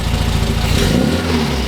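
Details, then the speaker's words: 1967 MGB GT idling just after first start after sitting: steady low even rumble, no knocks or misses; oil pressure came up to 50 psi at idle; normal idle. "All right, so we've got 50 PSI of oil pressure at idle now. It came up."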